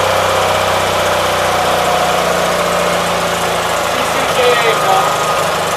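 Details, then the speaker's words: 1976 Gravely 816 tractor, after reassembly, carburetor possibly flooded: uneven idle stumbling with pops and sputters around the fourth second then settling; idles somewhat better than previous night, cause unknown. "a whole lot better than what it was last night so uh you see it pops and bags and recovers"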